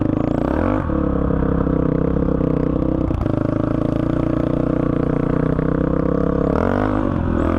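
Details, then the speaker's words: 2005 Honda CRF450X single-cylinder that sat 10 years, on its first ride after richening the needle one notch (two from bottom) and fitting a 190 main, with a 45 pilot jet: revs cleanly, steady even beat, crisp pickup, no bog; normal running. "this thing runs great honestly great starts up first kick doesn't bog anymore I think I might have this thing perfected"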